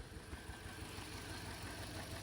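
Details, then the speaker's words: 2013 Toyota Corolla ZRE152R, 2ZR-FE 1.8 automatic, VSC and engine lights on; uneven, lumpy idle with irregular low exhaust thumps and engine shaking, a misfire traced to an ignition coil. "and it feels like the car is shaking. It's like misfiring."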